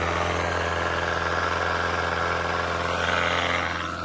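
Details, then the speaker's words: Outboard (on DIY skiff) under load on test run 4, after fitting a different cleaned carburetor from a running motor with new gaskets: strong steady drone, firm low note, even pitch, no stumbling or surging; making power cleanly. "Making power. Yes! Woo! 25 on again. What a difference."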